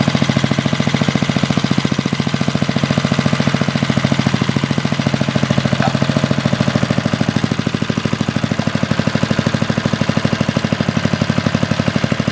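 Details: 40-year-old Briggs and Stratton single-cylinder on a garden tiller, after a carburetor rebuild, with the throttle adjusted because the owner suspected missing linkage: it runs at a steady idle with an even, regular firing beat and no misses or knocks.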